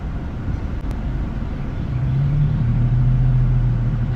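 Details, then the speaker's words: Infiniti G35 V36, 241,000 miles, after burping air from coolant due to overheating: warm idle at regular operating temperature, low even rumble climbing smoothly with revs; healthy. "Like you see, we're still at regular operating temperature at idle."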